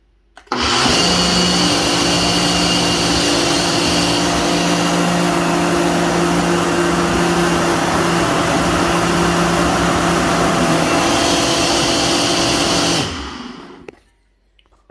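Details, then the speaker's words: Ninja blender running: loud, steady high-pitched motor whir at constant speed from the motor base; noisy but normal. "this is one of the noisiest blenders ever this is all I do"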